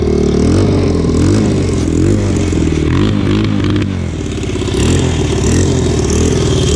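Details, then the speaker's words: Single-cylinder motorcycle after exhaust fix, old header gasket removed for a better seal, on choke while checking for leaks: steady thumping with a few throttle blips, no header puffing or ticking; normal running. "Alright guys, so it looks like just taking the old gasket out helped us get a better seal. She's not leaking anymore. Sounds pretty good."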